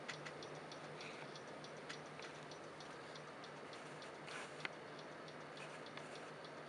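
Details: PC stuck on startup repair, won't boot, system restores deleted, with sharp regular clicks a couple per second over room hum; owner suspects a failing hard drive, not confirmed.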